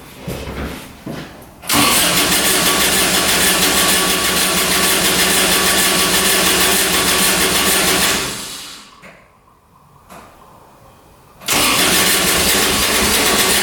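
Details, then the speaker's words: Kubota RTV900 diesel UTV (2007 or 2009), after a head gasket repair for white smoke, 12 volts present: long stretches of steady cranking, a pause, more cranking, never catching. Owner suspects it isn't getting fuel. Crank, no start. "Doesn't want to go. We're getting fuel to it. All right, let's keep trying. Not wanting to go."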